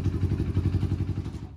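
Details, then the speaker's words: 1991 Honda TRX250X quad, barn find revived: even, quick single-cylinder thump at idle with a clean, quiet top end, then switched off; sounds healthy. "oh my she's real smooth now honestly i don't it's been a long time since i've heard of 250x top end that quiet man that's quieter and close bike was"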